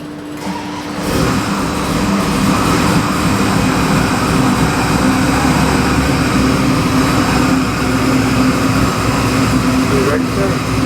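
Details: 2019 Chevy LS7 441ci crate V8 fired up on dyno (Dart SHP block, forged Eagle rotating assembly, Comp custom cam, Holley Sniper EFI, Terminator X, ~700hp): catches after about a second, settles into steady even idle rumble, no misses; healthy.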